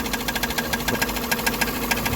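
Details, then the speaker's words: Idling petrol car has a sharp metallic knock about six or seven times a second, starting after the variator (CVT) gearbox was replaced the day before. It is judged not to be the crankshaft, and the gearbox is suspected. "Це щось таке [ __ ] типа по металу щось б'є б що коробку може дай газу"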